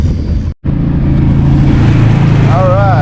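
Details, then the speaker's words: 70 hp Johnson outboard on a Nitro 165 TL bass boat, launched after lower unit repair with clean fuel from a remote tank; water pressure up, alternator charging. It gives a steady, even low burble with one brief dropout, idling smoothly. "So, she is running good now. She got some good fuel."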